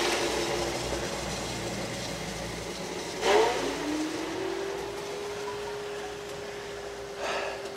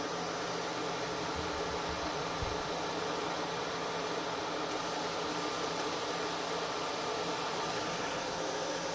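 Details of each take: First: Microhydro turbine at 116 psi on first start of the season after new hoses: water rush, then a whine that climbs and levels off at a low steady pitch; underspeeding because the supply valve was not fully open. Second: Micro-hydro turbine at about 116 psi with new hoses, restarted after a not-fully-open valve kept it from spinning up: a steady rushing hiss of water jets over an even whir. Running normally.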